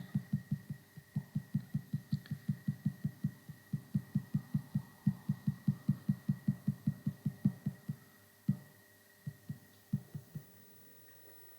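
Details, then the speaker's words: ME1616 PMAC motor powered on during encoder alignment check, torque commanded but no rotation: steady high hum with low thumps about 2.5 per second; angle offset likely far out before adjustment; stalled motor from encoder misalignment. "So as we have no rotation at all, we're probably quite a long way out on the offset."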